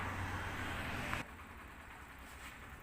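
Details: Yamaha YBR125 single-cylinder, after the noisy timing-chain adjuster was replaced with a better replacement part: quiet, even idle with a steady low beat and no chain slap or rattle; normal idle.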